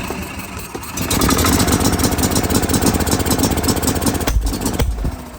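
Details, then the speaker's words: Gas Club Car DS golf cart running rough, lumpy idle stumbling about four beats a second, firing only every once in a while; intermittent misfire, with the RPM limiter controlling spark from the micro switch. "right now we running like crap you hear you hear the way it fires which tells you that it's fired every once in a while spitting the"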